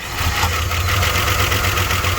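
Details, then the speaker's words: 1997 Dodge Dakota 3.9 V6, first start after a new timing chain, heads, O2 sensors and sensors, plus a new battery: smooth, even idle with a steady low drone, no misses or knocks, engine no longer shaking. "Hey, it's a lot smoother. It's not shaking. Come check it out. The engine doesn't even shake now."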